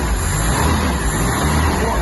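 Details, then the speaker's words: Ford Mk2 Capri 2.0 GT Pinto engine, unrun for many years, first start on old oil after the new distributor was re-timed. Deep, even rumble with steady firing and no misses, pops or knocks. Some choke smoke, no blue smoke; normal idle. "R ladies and gentlemen that's the pinto that's why these engines were the best things ever"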